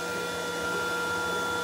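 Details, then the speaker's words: Glowforge laser cutter with draft board, running its built-in fan before adding an external fan: loud, steady fan drone with a whistling hum that never varies; noise is mostly the fan. "this is glowforge with the draft board in it and running with its own fan and we'll push magic button spit into this sound that sound is mostly fan"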